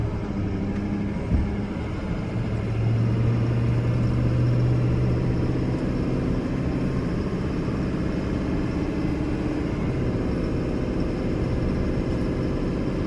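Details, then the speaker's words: 2005 Chevrolet Silverado 2500HD 4x4, 6.6 Duramax diesel, 20,000 miles, driving uphill: the engine note rises and settles through each automatic shift with no slipping, hesitation, flaring or hanging. Normal automatic transmission shifting. "we're gonna head up the hill here so you can hear for yourself how the automatic transmission doesn't slip doesn't hesitate doesn't hang gears nothing like"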